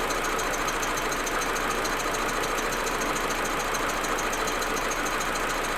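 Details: Audi A4 1.8T at cold idle: uneven, faint irregular stutter and loose ticking under a hissy top end; smooth once warm. Plugs, coils, ignition amplifier, vacuum hoses replaced; owner suspects injectors or carbon buildup, misfire cause unclear.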